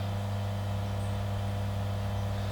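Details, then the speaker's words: New Superfish Eco Plus RC 15000 pump on a fry/quarantine tank restarting after a simulated power cut: steady low hum, no rattles or surging. It remembered setting 2 and came straight back at 30 watts, so it is running normally. "So it needs to be reading 30 watts when it comes back on, and the pump just started up"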